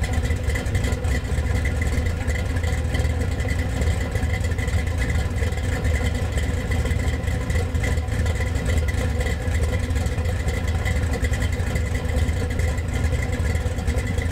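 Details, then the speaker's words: Freshly built GM Gen VI L29 454 big-block with ZZ502 hydraulic roller cam running on an engine stand: deep, even rumble firing smooth with no ticks or knocks; sounds good, though the alternator was found not charging. "So thanks to James for letting us come over and get this thing lit off. It sounded pretty good."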